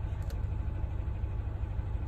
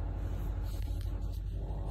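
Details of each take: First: Engine shaking with check engine light on, before DIY replacement of ignition coil and spark plug: low uneven loping idle that stumbles now and then; misfire, suspected from the old ignition coil. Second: Engine that was shaking with the check-engine light on, after replacing the ignition coil set: a low, even rumble with no misfire stumble or shake. The check-engine light is gone and the idle is healthy.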